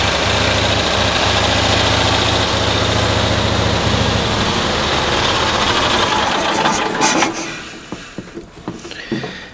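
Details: 1972 Cushman Truckster after new coils, 8 °C day: lumpy, uneven firing with stumbles, then sags and dies; spark more consistent but still misfiring around 3000 rpm, runs same as before, starts easier.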